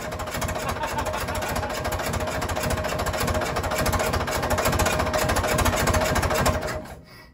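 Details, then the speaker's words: 1950s Fordson Major diesel tractor, first start in about 20 years after bleeding the fuel system, fresh diesel, charged battery and new terminal: steady, even chug at about 200 beats a minute with no misses or knocks, then shuts down. A runner. "she's a runner okay we're happy with that she'll run all right"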